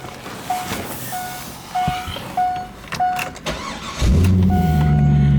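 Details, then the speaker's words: 2002 Corvette C5 convertible, 350 hp LS1 V8, 83,230 miles, automatic, oil pressure about 40 psi; after warning chimes it starts right up and settles into a strong, even idle with no hesitation, misfire, noises, ticks or leaks. "engine in this car starts right up this car has 83,000 230 miles on it psi right at 40 this car is equipped with the 350 horsepower ls1 engine has no NOx or ticks or leaks"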